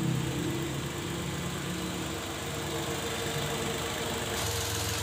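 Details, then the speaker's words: Datsun just after an engine oil and oil filter change: steady even idle with a soft low rumble and no knocks or ticks; the engine sounds healthy. "Ini nanti kalau sudah mesin hidup, oli akan masuk ke filter oli. Oke, kita tinggal coba hidupkan ya."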